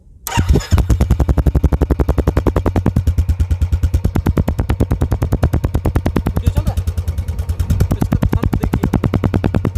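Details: Royal Enfield Bullet ES 350 (electric-start) just started and idling: a steady single-cylinder thump at about nine beats a second, even and unhurried with no knocks or misses. A healthy start and idle.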